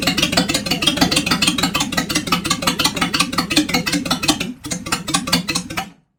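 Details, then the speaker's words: 1976 Jaguar XJ12 with newly installed V12, first run after priming fuel, no exhaust fitted: very loud, raw open-pipe crackle with quick even firing pulses, no knocks or rattles; runs cleanly, smoke probably oil in cylinders. "all right it runs doesn't make any weird noises"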